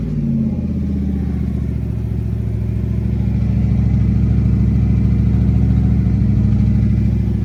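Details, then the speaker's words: 1988 Holden VL SV88 with Rochester Quadrajet carburettor, mufflers checked one by one for tinniness: deep, even V8 burble that swells smoothly with revs, with no tinny rattle; exhaust sounds healthy. The middle muffler was identified as the tinny one when hot. "I couldn't hear any tinniness. That muffler, the muffler sounded really tinny, so sounds mint. That sounds good."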